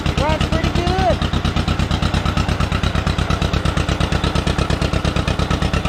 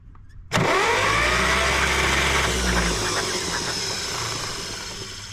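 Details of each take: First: 1953 John Deere 40, sitting for years, new rotor, choked with throttle set up a bit: even steady putt-putt at fast idle with no misses or knocks while warming up, before it later died. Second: 1953 John Deere two-cylinder tractor, sat about five years, ignition coil jumped from battery positive: starter cranks the engine for a couple of seconds but it never catches; no spark, distributor cap found corroded, points to be cleaned.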